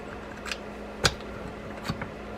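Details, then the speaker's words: Shimano Stradic 6000 FJ spinning reel during service: crisp separate clicks as the click tongue hits the ridges when backpedaling; the anti-reverse clicker is working properly after reassembly and wiping out dirt. "This is the click tongue that's going to make the noise right there. You know, when it's backpedaling, it will hit the ridges here and make that noise."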